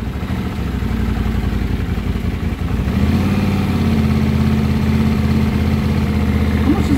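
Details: 1979 Honda CX500 twin, 15,000 miles, not run in 2 years, after carb work with mix screws at 2.5 turns out: low idle stumbling and surging unevenly, smoothing slightly after a few seconds; uneven idle, cause unconfirmed, may richen mix screws.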